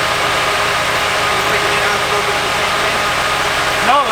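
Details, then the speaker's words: Nissan 240SX S14 Kouki SR20DET at idle, misfiring: slightly uneven lumpy beat with faint hiss; unplugging injector three makes it die while unplugging injector one changes nothing, so injector one is faulty. "I just unplugged the third one and it's dying. But look what happens when I unplug the first one. It stays the same. So it's the injector."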